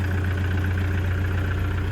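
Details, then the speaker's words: 2009 Toyota Commuter 2.5 D4D diesel van: smooth, quiet idle with a steady low hum and no knocking or misfire; the engine sounds healthy. "สตาร์ทเครื่องเรียบร้อยครับเครื่องเงียบๆนะครับเครื่องไม่ดีเครื่องไม่สวยนะครับไม่กล้าเอามาขายครับ"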